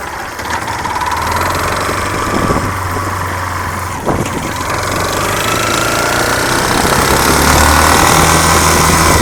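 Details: Yamaha Fazer 250, 2005/06, over 115,000 km, new noise this week; loud regular knocking under the engine note, climbing with revs; confirmed worn connecting rod, replaced with a TXK rod; connecting rod knock.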